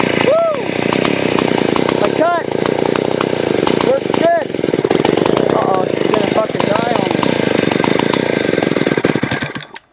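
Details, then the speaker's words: Vintage 1970s Stihl 041AV 61cc two-stroke chainsaw, sat a year with stuck rings, smoking: loud buzzy run with throttle blips, then it dies abruptly; owner suspects a sticky carburetor float or idle set too low. "it died I think the float's a little bit sticky in it but I might have to turn the idle up a bit"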